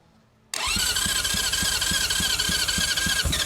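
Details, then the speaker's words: 1980 Honda CB750F Super Sport, 5,616 miles, unused since 1988: starter whines with steady compression pulses after starting fluid is sprayed in the intake, but it never catches. Hard starting; a carb clean and a new battery are suspected to be needed. "That sounded like running. I don't know about you guys, but this is a carb clean away from being being good."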